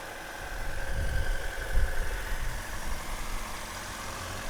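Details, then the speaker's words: 2000 Honda Civic hatchback, 103,000 miles, sat five years, just started cold with sticky gas pedal: low, even idle, smooth steady beat, no tapping or misses; normal healthy idle. "sounds pretty good sounds pretty healthy don't want to go too crazy"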